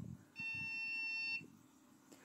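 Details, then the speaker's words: AMD budget PC at power-on gives one long high-pitched beep with no display, persisting after trying another power supply and a new BIOS battery; cause unknown, owner thinks PC may be faulty. "Açalım. Bip sesi çıkıyor mu bekleyelim. Ve bip sesi yine çıkıyor."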